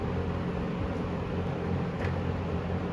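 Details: 1974 Kmart (Lakewood) P23 20-inch box fan on high, oiled before purchase: steady even rush of air over a low motor hum, no ticks, rattles or wobble; running smoothly.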